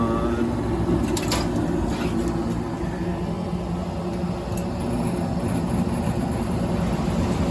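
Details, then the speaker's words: Gas furnace with a flooded, broken humidifier, right after ignition restored: blower comes on with a heavy, uneven low rumble and rough flutter instead of a smooth whoosh; blower assembly faulty but running. "oh it sounds like garbage but she's still running wow God knows how long that's been running for"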